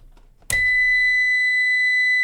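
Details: CyberPower 625VA UPS reported bad, powering a lamp load of about 66 W, mains unplugged: sharp high-pitched beep cuts in suddenly and holds steady as the UPS switches to battery; fault not confirmed.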